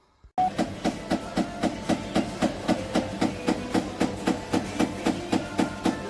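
Even thump about four times a second, locked to drum rotation during spin: the drum is hitting the door, likely a twisted door seal.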